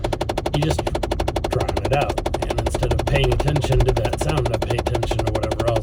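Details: Car cabin while driving, after climate control changed from warm back to cool: fairly even mechanical tapping about two per second; blend door actuator tapping, recurring until it subsides.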